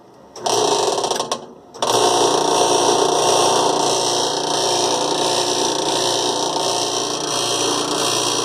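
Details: Top-load washer just after tub bearing and seal replacement: a loud, steady, fast mechanical rattle runs through all cycles with the agitator seemingly working fine; source unclear.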